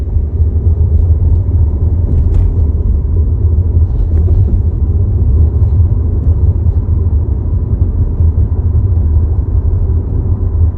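A deep, steady low drone with no knocks or ticks, just a heavy rumble you would feel through the body; vibration, cause unknown.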